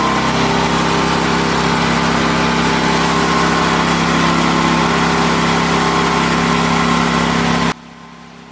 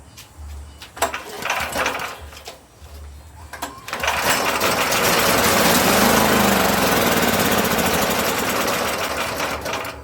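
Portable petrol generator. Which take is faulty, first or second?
second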